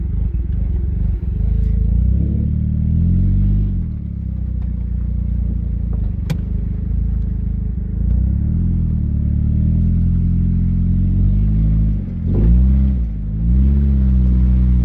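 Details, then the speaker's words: 2000 Nissan Altima GXE (apparently), exhaust rattling against the body; low engine rumble rising and falling with revs over a loose, uneven metallic clatter. "windows missing the exhaust sends a rattle defender so you hear this noise"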